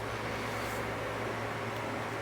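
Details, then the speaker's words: Arctic Cat ATV after frame swap, fresh Mobil 1 10W-40, before first start: faint even whir over a low hum; fuel pump priming normally. "all right prying the fuel system i hear the pump running"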